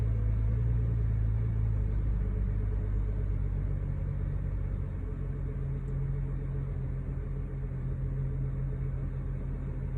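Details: 2011 BMW 335ix E90 N55 just after a cold start: idle rumble hunts between about 800 and 1200 rpm, settles near 800 then reaches normal 600 after a minute; happens intermittently, sometimes hard start and rough idle; cause unknown.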